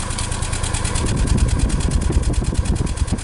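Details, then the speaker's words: 2014 Nissan Versa idling, recorded at the exhaust: uneven pulsing chuff about three puffs a second; check engine light on for P0303 misfire after the mechanic replaced the #2 coil, engine vibrating. "Okay, that's pulsing. So that definitely has a misfire somewhere."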